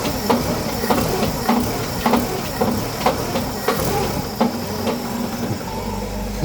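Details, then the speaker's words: 1963 Pontiac idling in park: sharp uneven knocks, about a hundred a minute, over a rough idle. It sounds like a broken crank but is a cracked flex plate, to be replaced with Loctite on the bolts. "sounds so bad. When the buyer shows up to grab this car, he is not going to want it with the engine sounding like that. He's going to think that the crank's broken or something. I know it's just the flex plate."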